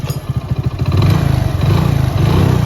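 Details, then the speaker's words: Motorcycle after a third-gear sprocket repair that fixed a gear noise surviving three engine teardowns: steady, even low single-cylinder thump with no rattling or chain slap; rear sprocket no longer wobbles, chain steady, runs healthy. "यह देखिए भाई कितना जबरदस्त sound आ गया मस्त sound आ गया भाई"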